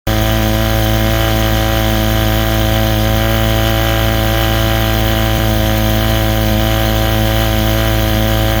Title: 1979 35 hp evinrude misfire or clutch dog slip